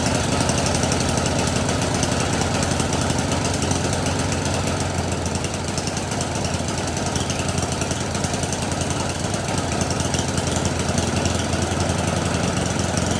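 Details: Snowblower small single-cylinder engine: chugs with a steady, even beat and holds speed cleanly; normal running.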